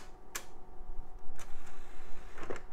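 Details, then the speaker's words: Retro PC DVD optical drive test-booting a disc: soft whir with a few crisp seek clicks over a couple of seconds, no grinding or repeated retries; normal spin-up and seek. "and looks like it wants to go ahead yeah that drive's doing just fine"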